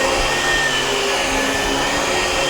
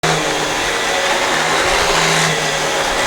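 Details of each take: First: Dyson DC17 upright vacuum after the brushbar and belt were replaced, where it had rattled badly before: a steady, even motor whine with airflow rush and no rattling. It now runs much quieter. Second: Dyson DC17 Animal vacuum, about eight years old, with a visibly worn brush roller; extra noise only when the brush roll runs: loud airy roar with rough whirring and an intermittent low hum from worn brush roll bearings.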